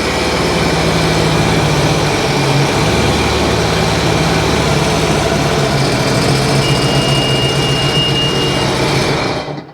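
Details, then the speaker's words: 2009 Sea-Doo Wake 215 being repaired for overheating: after clearing all faults and testing, engine lit and runs with a steady, even drone, no misses, knocks or surging; owner wonders if a fouled spark plug was the issue; normal running. "She lit now. Is that just a fouled spark plug? Because it sounds good."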